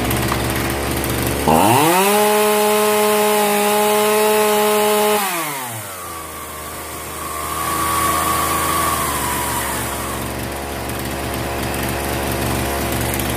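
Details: Zenoah 3800 chainsaw after tightening the T screw and resetting the mixture screws: revs to a clean steady high scream, drops to an even idle, picks up smoothly; carburetor now roughly right.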